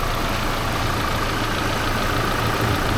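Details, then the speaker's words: Vehicle after a repair to its unstable idle, which previously dropped below 500 rpm and kicked back up: even, steady idle with a constant low rumble and no hunting; slightly sticking but running well. "It's kind of sticking, but it sounds good."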